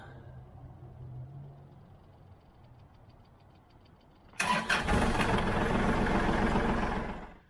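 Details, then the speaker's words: Kubota L3901 tractor diesel restarted after the 400-hour service oil and filter change to warm up and recheck the oil level. It fires instantly and settles into an even clatter of about 220 beats per minute; normal start. "Let's start her back up now that she's all buttoned up and let her warm back up, and we'll see where our oil level's"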